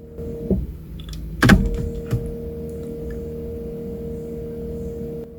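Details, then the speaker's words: Land Rover Evoque, wipers switched on from inside cabin, fuses checked: clunks then steady motor hum with no sweep, wipers don't move. Fault code B1C45-67 front windshield wiper park position switch, in the motor; cause suspected. "definitely a motor sound. But as I've scanned it, it's come up with a fault code. Front windshield wiper park position switch."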